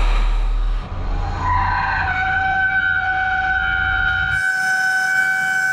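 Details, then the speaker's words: CNC twin-turret lathe boring with a steel boring bar and 0.031 insert nose radius, the worst-case setup with all bars at equal stick-out: loud piercing squeal near 800 Hz over spindle rumble. This is boring bar chatter, which eased near the back of the part at reduced speed. "as you can as you can hear that sounds terrible we're going to adjust the speed a little bit here so what we heard was a whole bunch of chatter"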